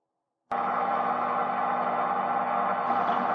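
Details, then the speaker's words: Front-loader washing machine running spin cycle at high speed with heavy load inside: steady droning hum and rattle from rear drum bearings, not yet fully worn but noisy enough that the bearings will be replaced. "Máy bắt đầu kêu lạch cạch và vo ve. Bạn có thể nghe thấy tiếng ồn của ổ bi ở phần phía sau."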